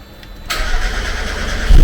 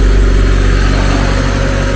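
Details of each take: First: Supercharged Mazda MX5 after ECU upgrade and rewiring, first start: brief crank, then engine catches straight away and settles into a low, steady idle; starts cleanly, though cranking fuel may still need adjusting (more or less fuel). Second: Supercharged Mazda MX5 four-cylinder just after an ECU upgrade and rewiring, running on its own with a slightly lumpy idle and steady low drone; needed a little more air, cranking fuel probably still needs adjusting.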